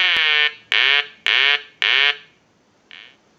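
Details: Telemania duck telephone after repair and conversion, piezo buzzer switched off for installed quack ringer, analyzer sending ring cycle: four short bright quacks in steady cadence, about two a second, then faint tail; eyes light, ringer working properly.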